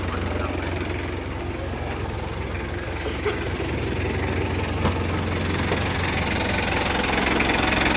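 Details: Mitsubishi L300 diesel pickup after upgrade to a 12 mm rotor head and new final gear ratio for speed with light loads, injection pump set for a smooth sound: even idle, soft steady clatter under exhaust rumble, no missed beats; normal idle.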